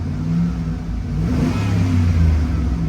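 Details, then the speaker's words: Van at auction, already warmed up, given a light blip of throttle: smooth even low rumble rising and settling with no knocks or rattles; engine sounds healthy. "Engine sounds healthy, guys. Engine sounds healthy."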